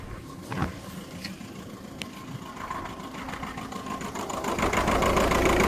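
Close-up idle that stumbles unevenly, with a soft irregular puff and tick about three times a second, consistent with one cylinder misfiring.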